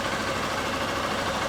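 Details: 2011 Honda Bros 150 motorcycle after shop repair of a customer-reported strange engine noise, test run: steady, even single-cylinder idle holding smooth throughout, no knocks or rattles. Normal idle.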